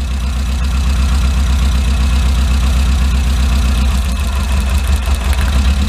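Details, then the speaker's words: 2008 Tmag (MAG) Chinese mini truck, clutch in, plug wires pulled one at a time: low chugging idle with a skipped beat, lumpy like a hit-and-miss engine; pulling cylinder four's wire makes no difference, so that cylinder is dead; compression test next. "we're gonna pull one off at a time and shouldn't make a difference that one's dead that one works"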